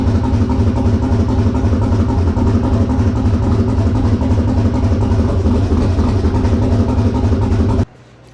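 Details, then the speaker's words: Twin-turbo LS-swapped SN95 Mustang at first start. Loud V8 idle with a lumpy, stumbling beat: number two cylinder is not firing because a part that came loose in a box was cut. The fuel tank also has a small drip. "as you heard she fired up this is the reason number two wasn't running like i said all this stuff came just in a box"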